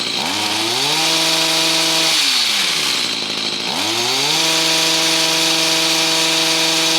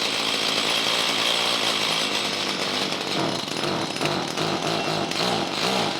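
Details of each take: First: Stihl HS45 hedge trimmer two-stroke with a replacement HIPA carburetor kit, in about 90°F heat, restarted without choke or purge. Revs climb cleanly to a high buzz twice and settle back without stumbling, running normally. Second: Stihl hedge trimmer with a HIPA replacement carburetor and fresh fuel, locked on high throttle after starting: high buzzy two-stroke note with uneven, stumbling pulses and hesitation; running lean, mixture adjustment needs opening up.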